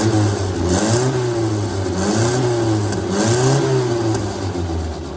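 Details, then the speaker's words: 1962 MG Midget MK1, all-original-looking engine, after freeing a stuck throttle linkage: the small four-cylinder catches and runs steadily, pitch rising and falling smoothly as it's blipped; normal running and revving. "And the throttle linkage was kind of stuck here. So I decided to loosen that up and fire it up. And lo and behold, it runs."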